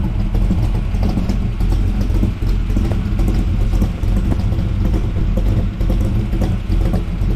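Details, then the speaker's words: 1979 Camaro, 427 small block with big cam and tunnel ram, idling on newly fitted Walker Ultraflow mufflers that replaced the Flowmaster FX: deep, even rumble with no rasp or drone; a healthy exhaust note. "Let's just so they don't have that glass packy sound, but they do have a nice deep rumble there, so I'm happy with that."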